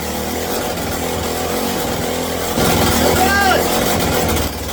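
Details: Mini bike small single-cylinder engine, first start after wiring and throttle cable to carburetor, very smoky: buzzes fast and high, never drops to a slow idle; idle needs adjusting.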